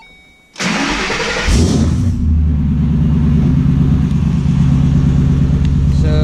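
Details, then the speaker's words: 2012 Ford Shelby GT500 Mustang start after installing a used FRPP TVS supercharger and new spark plugs, not yet tuned: short crank, fires and flares, then settles into a smooth, even, deep idle with no ticking or knocking. Normal cold start. "So far, everything seems decent. Looks pretty good."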